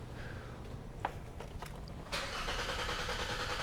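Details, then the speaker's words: 2012 Hyundai Sonata 2.4 GDI with low power, misfire and check engine light: quiet starter cranks about two seconds before firing into idle; long crank from low high-pressure fuel rail pressure, set point 670 psi. "So just cranking this over. Again, long crank time."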